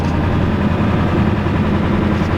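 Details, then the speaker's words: Old Ford 7.3L Power Stroke diesel, about 26 years old, just started, no oil pressure: loud, rough idle with an uneven stumbling beat and pops; missing badly, owner suspects injectors not getting oil. "Sounds like the injectors are not good. They're missing pretty bad."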